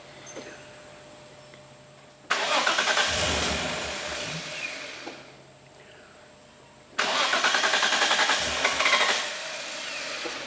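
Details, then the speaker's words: RB30E+T engine in a Holden VL Commodore, first start cranked on starting fluid sprayed through the brake booster vacuum port, injectors off, LS1 coils: two cranking bursts catch and fire cleanly with no intake or exhaust backfire, showing ignition timing and leads are right. "sounded pretty good. Backfiring is what we're looking for."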